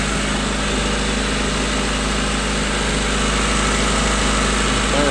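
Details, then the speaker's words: 1992 Honda Accord after a timing belt and water pump job and an IACV cleaned with carb cleaner, warming up: a steady idle, still high but consistent, with no hunting or surging. "it's gonna start it's gonna be fun hi idle but at least it's consistent"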